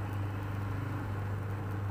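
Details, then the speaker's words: Polytron washing machine, previously very noisy with pulsator not turning properly, tested after pulsator removed, reinstalled and bolt tightened; steady even low motor hum with no scraping or knocking, wash cycle now normal. "Iya sudah berputar tidak ada suara berisik lagi udah normal ya"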